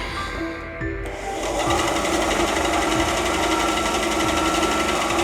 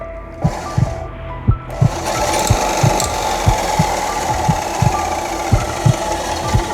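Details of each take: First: Parkside PBS 350 B2 bandsaw rebuilt from two broken units, after increasing blade tension: an even motor hum with a light, regular tick about four times a second. Normal running, improved from the earlier internal noise. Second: Parkside PBS 350 B2 bandsaw rebuilt from two broken units (straight bolt swapped from spare machine), first test run: heavy uneven thump about once a second under motor whir; blade tension too low, fixed by adding more tension.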